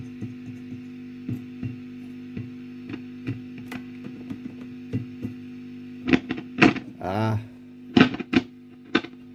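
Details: 1965 Wem Custom 15 valve guitar amp, powered up on a bulb limiter with an EZ81 rectifier, has an intermittent frying noise: steady mains hum with irregular ticks and pops. Plate or cathode resistors are suspected, as are uncleaned tube sockets.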